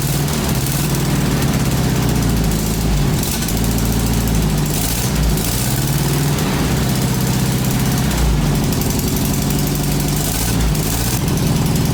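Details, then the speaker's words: 1966-67 VW Beetle 1500 air-cooled engine, just restarted after long storage on new fuel, recorded indoors with a holed exhaust: loud, rattly idle that bogs when blipped and won't rev cleanly, so it hesitates under throttle. "No, it doesn't want to rev."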